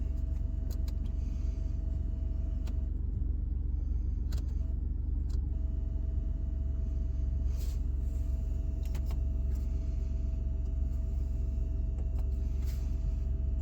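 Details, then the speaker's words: Steady low hum in the cab of a 2019 Ford F150 with a faint thin whine dropping out and returning; starts whenever the lights are switched on with LasFit turn signals installed, not from the radio; suspected, not confirmed. "every time I engage your lights the humming begins"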